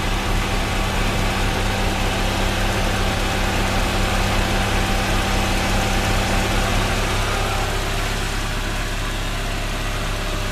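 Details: Honda Prelude H22A1 at 234k miles at idle: faint, thin, steady screech over the engine hum that stops when the clutch pedal is pressed; owner suspects transmission or clutch, and the clutch slips under hard acceleration.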